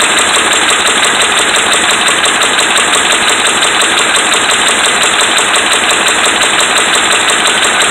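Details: Dodge Ram 5.7 Hemi V8 at a fast idle with sharp, steady, deep rhythmic knocking in time with the engine, from bad connecting rod and crankshaft main bearings.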